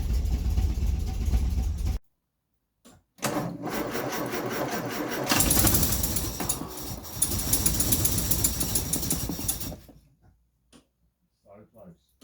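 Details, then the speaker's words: 1964 Austin Healey 3000 Mk 3 straight-six, cold start after weeks unused: coughs and catches in uneven bursts with dropouts, not yet firing on all six cylinders, then builds to running. "but it's not yet running on all six and we haven't yet seen anything on the rev counter but I can hear them building"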